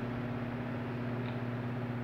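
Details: Fan (40 cm, phase capacitor) running normally after replacing a discharged 2.5 µF 400 V capacitor that stopped it self-starting: steady low hum, smooth even whir, no knocks or rattles.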